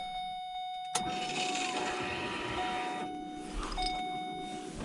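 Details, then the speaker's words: 2009 Pontiac G8 GT supercharged LSA-kit V8 with ZL1 fuel pump and Kenne Bell Boost-A-Pump at 17 volts, troubleshooting lean condition: chime then loud steady electric buzz as pump primes at key-on. Normal fuel pump priming. "but I kind of want to show you guys what the pump sounds like with 17 volts hooked to it. It's pretty freaking loud."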